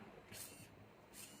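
Two quick whirring sweeps a short moment apart, each smooth and even with no stalling or buzzing; servo is moving normally.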